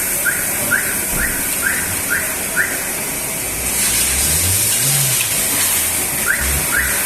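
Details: Front brakes while driving: a short high chirp repeating about twice a second over steady road hiss; brake squeak, cause not confirmed.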